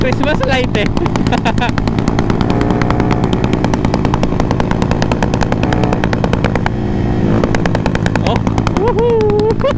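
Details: Automatic scooter with an aRacer ECU tuned for rolling backfire, revved at open throttle: sharp rapid pops crackle from the exhaust, an intentional backfire from the tune.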